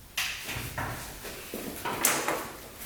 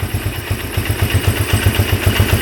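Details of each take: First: 1997 Polaris Magnum 425 6x6 ATV first start after carb jets cleaned and fuel pump tested: catches suddenly, runs rough and loud, backfiring through the carb; owner suspects worn cam lobe. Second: 1997 Polaris Magnum 425 6x6 ATV idling evenly in a steady low thump with no pops or misses; earlier popping stopped, and owner guesses an unprimed fuel pump had starved the carb, running lean. Normal idle.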